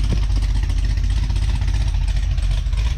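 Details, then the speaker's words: Cadillac CTS-V with a big aggressive cam on a stock muffler setup, recorded from behind the car at idle: deep, uneven loping idle with heavy exhaust chop; a tapping sound is mentioned. The engine sounds healthy with a normal lopey cam idle. "does it sound good you guys like the look thump that it has on a stock muffler setup that is a nasty nasty little cam"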